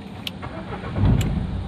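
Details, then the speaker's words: Renault Duster 110 diesel after replacing the sticking diesel injection pump relay and its fuse: short crank, then it catches and settles into a steady low idle without stumbling; normal start after repair. "गाड़ी में कोई दिक्कत नहीं ए रहा है तो of कर दिया मैंने"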